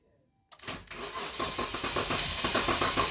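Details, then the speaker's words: 2012 Dodge Durango 3.6 L, intermittent no-start: starter cranks at an even steady beat but engine never catches; fuel pump power drops out, TIPM relay suspected of not actuating correctly. "So right there, we lost power. We had no power for a long time. We got power, and then it lost power again."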